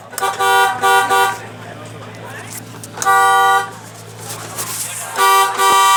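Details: Car horn that had stopped working from the steering-wheel button: three loud, steady blasts with quiet gaps between them. The horn sounds strong and clear and works properly.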